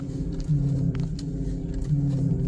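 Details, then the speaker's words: Infiniti power steering: low droning groan under the engine swelling and easing in waves, same noise persists; bubbles still in the reservoir, owner suspects a leak and cavitation somewhere; pressure switch already replaced without success, pump reseal considered. "ഈ തിളച്ചു പറയുന്ന പോലെ steering പമ്പിന്റെ reserve വയറിൽ നിന്ന് വരുന്നത് ക്യറ്റ് common ആണെന്നാണ് പറയുന്നത്. പക്ഷേ ഈ ബിൾസ് ഇപ്പോഴും വരുന്നുണ്ട്. അപ്പോൾ ലീക്കും ഉണ്ട് എവിടെയോ എവിടെയോ ഒരു ക്യാവിറ്റേഷൻ നടക്കുന്നുണ്ട്."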